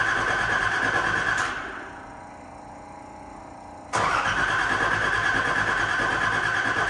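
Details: Nissan 300ZX Z31 after new clutch master and slave cylinders, fuel pump, tank and battery: starter cranks evenly, pauses, cranks again but the engine never starts; cause not yet found, an unidentified noise possibly an evap pump.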